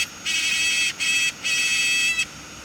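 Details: DJI Air 2S drone, no previous crashes or error codes, gimbal calibration fine: high, thin electric buzz in three bursts from the camera gimbal whenever the propellers start; abnormal gimbal buzzing.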